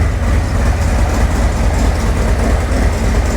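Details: 2024 Harley-Davidson Road Glide, Milwaukee-Eight, cold start after Zippers 534 cam change: deep loping beat throbbing steadily, no knocks, misses or leaks, a little smoke from spilled oil burning off; normal idle.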